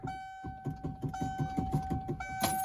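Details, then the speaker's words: 1992–1997 OBS Ford F-series truck, steering wheel worked back and forth: rapid dull clunks about five a second under a steady key chime, from a worn, loose steering shaft, to be replaced with a factory-style shaft. "But anyway, this shaft in it right now is pretty loose. You can feel it and you can hear it too."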